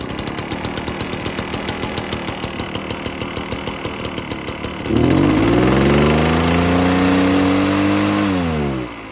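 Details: Echo PB-403T two-stroke backpack leaf blower that sat for years: runs only on half choke with uneven popping, revs weakly, sags and drops back; stalls without choke, won't reach full throttle; dirty carb suspected.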